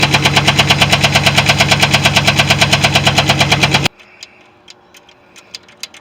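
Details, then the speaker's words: GMC Sierra 6.2 V8 running with a sharp, steady knock. A cracked or worn plastic lifter tray lets the lifter spin and groove the cam lobe, and the excess gap makes the lobe smack the lifter. "and it wears a groove in the cam lobe so when it does that we've got we've got too much of a gap in it so when that cam comes around it smacks that thing and causes a knocking noise"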